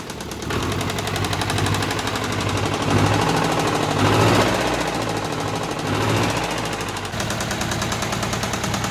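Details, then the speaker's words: Steyr 650 tractor diesel first started after over 20 years unused, heavy smoke clearing: loud, fast, uneven tapping about four a second throughout, very tappety, loose valve clearance needing adjustment. "She's clearing, to be fair, she is clearing. But like I said, very, very tappity, so that does need some attention."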